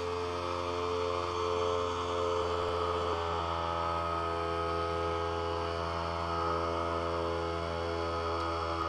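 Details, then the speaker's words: Harbor Freight Central Pneumatic 95275 pancake compressor after a repair with new tubing and a compression fitting. Steady, even motor hum with no knocking or hiss as pressure climbs about 20 psi; it runs normally. "we jumped up about 20 pounds and again here's the piece that fits that tubing i'm jumping ahead a little on this video just so you don't have to wait 10 minutes to watch it fill"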